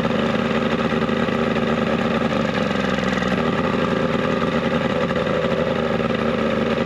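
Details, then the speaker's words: 70 hp two-stroke Mercury outboard on a 1967 Duo boat, carbs cleaned, run on choke with old impeller left in place, running a little warm; even buzzy drone holding steady without sputters or cutting out; normal running. "that actually sounds healthy"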